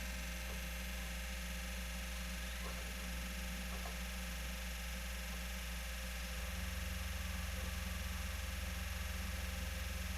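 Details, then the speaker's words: PS4 console suddenly started making an abnormal loud whirring noise the day before, loudest when a disc is inserted; steady low hum with a constant whir growing louder and deeper after about six seconds. "Do nada começou a fazer esse barulho aqui, ó. Não tô entendendo mais nada, cara."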